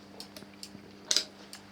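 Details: Honda Express NC50 moped with homemade 6-volt LED indicator circuit; sharp, light flasher relay clicks a few times a second over a quiet background. Flasher relay switching normally.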